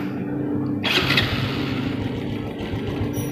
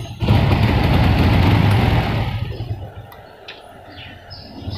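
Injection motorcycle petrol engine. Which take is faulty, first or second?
second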